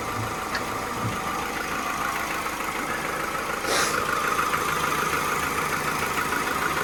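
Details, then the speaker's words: Cheap salvage-auction car, likely chain-driven cam, oil leaking from the cam cover: steady, even idle with a light regular tick and no misses or knocks; ticking over well, though a leak-like sound was suspected. "Yeah, it's ticking over really well."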